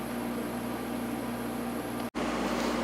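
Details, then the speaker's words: Climatrol window AC (Rotorex compressor) on low cool with quiet fan; steady even fan whoosh over soft low compressor hum with faint steady tone, blowing cold; normal running. "And there's low cool. Fan on this one is pretty quiet as well."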